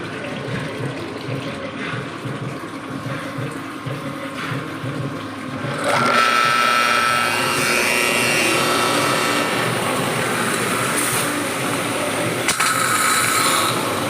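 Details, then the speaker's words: Washer after repairing water spraying and machine vibration: quiet motor hum, then strong steady water hiss from about six seconds with even pump drone and no shudder; no more leak or vibration, though nozzle still drips slightly; runs normally. "Pero sobrang lakas na to mga sir. Saka ayan, wala na rin siyang tagas. Wala nang vibration mga sir."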